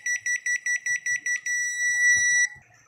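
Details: Automatic washing machine control board after replacing a faulty start button that had kept the boards from working; eight quick even beeps then one longer tone, a clean normal control-board beep.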